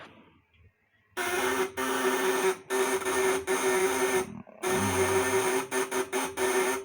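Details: Fish-shocker inverter (setrum, 8 ons, 500/1000 W, 400 V AC output) on 12 V with platinum vibrator contacts tightened to maximum tension; harsh steady mid-pitched buzz in on-off bursts, normal contact buzz.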